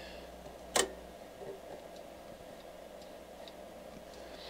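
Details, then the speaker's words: HP 8640B signal generator near 11 MHz: one sharp relay click, then signal drops to very weak with only hiss; band switching relay on filter board suspected, cause unconfirmed. "so there's this point where and i can hear a relay clicking and then the signal drops the signal's still there i can crank it up it's just very weak"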